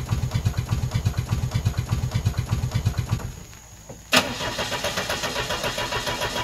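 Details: Car engine run on woodgas through filters and homemade butterfly valves, gasoline fuel pump relay removed, weak battery; steady cranking pulses, then it catches briefly with uneven firing but can't keep running since the valve control cables aren't connected yet.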